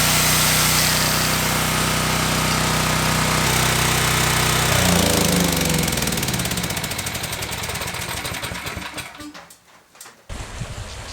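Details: Generac 7000EXL 7000 W generator unused 10+ years, revived with fresh fuel, air filter and oil checked: runs strong and even at steady pace, then winds down smoothly at shutoff; normal running.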